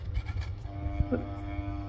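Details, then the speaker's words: Ceiling fan with a steady buzzing tone over its low hum, which began after switching from glass fluorescent to plastic LED bulbs; the bulbs reach resonance with normal fan vibration when too loose or too tight, not the wiring or speed module. "it reaches resonance if the bulb is not of the proper tension so if you're having ceiling fan issues with making noise as bizarre as it sounds uh these new plastic LED bulbs change the the mass of the system and therefore the resonant frequency"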